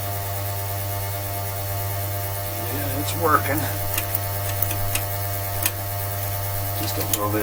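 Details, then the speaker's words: 1966 Dodge A100 van, 225 Slant Six, first cold start after long sitting: steady low electric fuel pump hum with clicks, priming carburetor directly instead of mechanical pump; normal operation. "The advantage to this fuel system I use too is we don't waste the battery trying to prime the mechanical pump. This thing's just going to make the carburetor prime directly."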